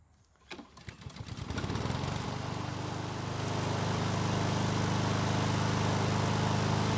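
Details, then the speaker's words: Husqvarna lawn mower small single-cylinder engine after freeing a stuck carburetor throttle plate: a few sputtering catches, then a steady, even run with no misses or hunting; carb works properly, engine runs well (self-propel drive found not working). "so it seems a stuck throttle plate was the problem and after freeing it the carb is working just like it's supposed to and the engine seems to be running very well"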